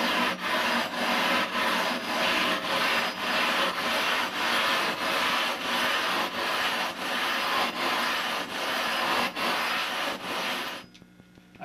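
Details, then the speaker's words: Rough grinding a 20-inch telescope mirror with number 10 abrasive: rhythmic strokes under two per second fade from harsh grinding to a soft murmur as the grit wears to smaller grain and stops cutting glass; spent abrasive charge needs replacing. "it disappears into a soft sort of murmur at that point the abrasive is really not much use anymore because it's worn down into a much smaller grain size"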